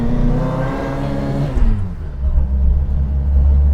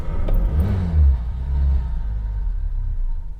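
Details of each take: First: Fox on a test drive after the exhaust blow was fixed and the fan belt tightened: engine pulls up, then settles to a smooth, deep, even drone under road load; running normally. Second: Fox catches with a short flare, then settles to a slow, uneven, laboured low idle; idle speed set a touch too low.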